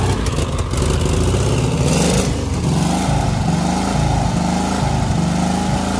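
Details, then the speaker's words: 1985 VW Vanagon Westfalia Weekender parked about 20 years, started with starter fluid, now running on gasoline: low steady idle with an even beat, no knocking or misfire; normal idle. "that's running on gasoline it's idling"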